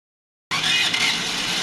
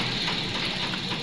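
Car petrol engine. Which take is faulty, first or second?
first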